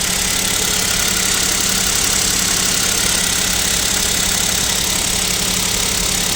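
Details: Kia Picanto 2, 1.0 G3LA engine, cold idle at about -7°C: fast, fairly regular light tapping about four per second over high-pitched engine clatter; suspected piston knock, owner asks if overhaul is near, unconfirmed.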